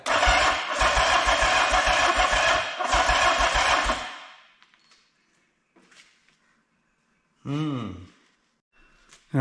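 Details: 1979 Yamaha XS750S whose rebuilt engine failed within about 50 km, first start attempt after wiring, fuel, carburetor and timing advance repairs: steady rhythmic cranking at about three turns per second in bursts, engine not firing.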